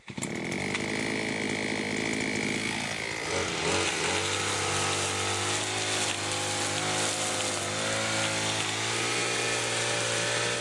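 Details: Limex Expert BT 524ba two-stroke brushcutter after starter ratchet replacement: high revs fall after about three seconds to a steady, even idle with no misses. It should be left idling perhaps 5–10 minutes to run in the new ratchet and starter parts.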